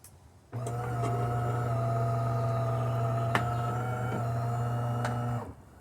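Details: Refurbished DeLonghi Magnifica XS with a replaced water pump and grinder, cleaned boilers and hydraulics: a steady, even low pump buzz for about five seconds while brewing espresso, no surging or rattling. Normal pump operation.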